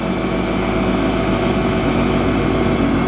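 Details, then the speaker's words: Roughly 9.9 hp engine mounted in the front of a 7 ft 1960s mini boat, running under load on the water after the air-fuel mix was adjusted: steady, even drone with no misses or surging; it runs normally and sounds much quieter. "I was just trying to adjust the air fuel mix under a load. I think it's I think it's it dialed in pretty good."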